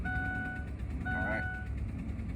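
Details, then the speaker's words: 2003 Ford Expedition 4.6L V8 with a misfire but no check engine light, idling: two clear, steady chimes over a quiet idle are the oil change reminder, unrelated to the misfire. "that don't worry about about that that's um that's always when you got to change the oil or whatever"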